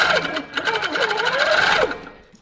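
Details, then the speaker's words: Handi Quilter sit-down longarm set at 150 stitches per minute, 12 stitches per inch, tension balanced with nothing showing on back; light even stitching ticks at slow steady pace, no knocks or snags, normal. "so I've got it set at 150 12 stitches per inch just gonna let that off a little bit more until I've got like a really nice Stitch"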